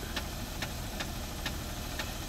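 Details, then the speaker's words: 2004 Jeep Liberty Renegade, very high km and never had an oil change, started after −30° weather, flashing engine light: sharp ticks about twice a second over idle, clicking after a little gas; owner suspects a collapsed lifter or dropped rocker arm. "give it a little bit of gas a little bit of gas it clicked after that"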